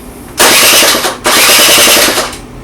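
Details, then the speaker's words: Honda Dio 27 scooter with compression, spark and a wet plug: two short starter cranks of about a second each, never catches; no start because the fuel pump isn't pumping, so the pump is replaced and the carburetor cleaned. "пробуємо завести або не качає бензинбо добре бензин не качає або бензина якась не знала"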